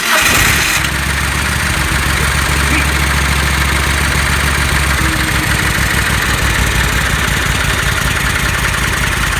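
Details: Kohler 20 hp V-twin mower, after fixing a no-start/backfiring-through-carb problem, jump box connected, full choke cold start: brief crank, then catches and runs steady, no popping or backfire.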